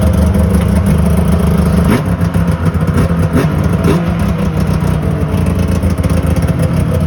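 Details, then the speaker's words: 2001 Yamaha Venture two-stroke snowmobile after cylinder repair and carb clean (main and pilot jets were plugged, likely leaned out); crisp revs climbing and dropping cleanly, smooth even firing, no bogging; running mint. "So yeah, in that video you saw that the Venture is running mint. It starts up great, and so that's all done."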